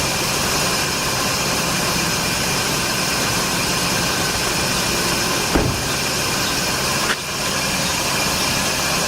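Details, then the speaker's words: 2006 Scion xA idling with fan, heater, AC, high beams and radio on, and voltage dropping to about 11.6 V: a constant high-pitched squeal from worn, slipping alternator and power steering belts. "When you hear this squeak, you'll see that the voltage will change a lot."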